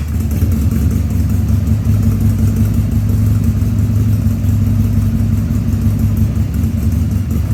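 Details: 2000 Harley-Davidson 1200 Sportster V-twin on its first start after a carburettor rebuild and leak fixes, air cleaner removed: a loping idle with uneven beats and cough-like stumbles, running slightly lean.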